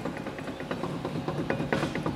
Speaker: you can physically see you see that movement that coming through so you get movement left to right and you also get movement up and down